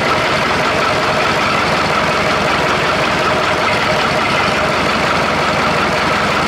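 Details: Perkins diesel in an old Australian-made Chamberlain R1250 tractor crane, running: even, steady idle with a smooth beat and no knocks or stumbles; sounds good running on all four cylinders.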